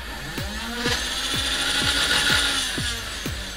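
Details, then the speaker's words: Nerf Rapidstrike after replacing a broken axial inductor and insulating the mag lock switch: steady high flywheel motor whine with regular clicking about four times a second; motors spin up and run normally after repair. "okay so you can hear the motors are working"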